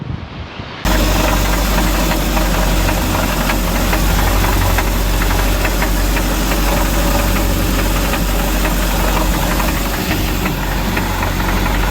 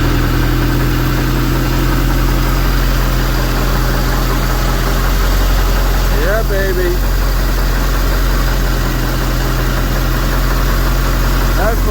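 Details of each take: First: 2006 StarCraft C-Star 1700 boat with Volvo Penta 3.0 GLP-D engine, on the water: heavy, fast, steady knock about four a second over the drone. Owner first suspected a gimbal bearing; rod knock from a spun rod bearing. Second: 2006 StarCraft C-Star 1700 Sport boat with a Volvo Penta 3.0 GLP-D and a Holley two-barrel carburetor, run at home after the fuel pump, carburetor and starter were replaced. A low, steady idle rumble without misses, with faint chirps in the background.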